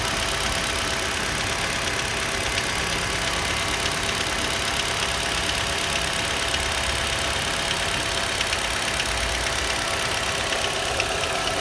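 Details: Nissan Juke 1.6 HR16DE: fast light knocking, about three beats a second, over an even engine note; while warming up it appears at 1000-1200 rpm and is absent at 1500 rpm and 800 rpm idle, and when hot it is present, less clearly, at 1000 rpm and above; dealer called it normal injector noise, owner doubts it.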